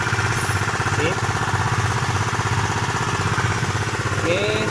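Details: Honda PCX 150 keyless scooter idling after the starter relay was replaced. It had arrived dead and would not start. Even putter of about two and a half beats per second, no misses or knocks: healthy idle.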